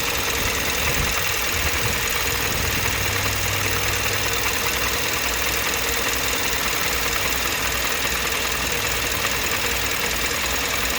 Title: Strange engine noise. KIA 2015 Optima EX GDI